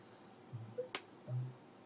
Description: 9 months old Macbook Pro making this weird clicking sound whenever I open or close the monitor.